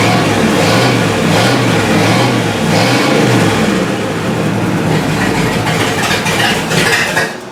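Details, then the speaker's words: 1955 Buick, first start after distributor gear replacement, static timed at 5 degrees, dirty points cleaned and reset, long-stored car: engine starts and revs up and down evenly without stumbling or popping, then settles; runs healthy. "That's good enough for me. Got it warmed up a little bit."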